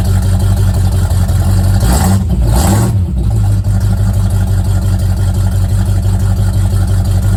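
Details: Old Mustang project car, recently revived after 42 years, idling after a cold start: a steady low engine beat with a quick rev blip that rises and falls cleanly, then settles back to an even idle, healthy.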